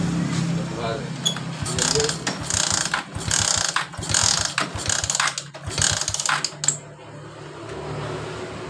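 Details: Suzuki Shogun R with total electrical failure, speedometer dead: repeated kick-start strokes, engine never catches, no spark from the ignition coil.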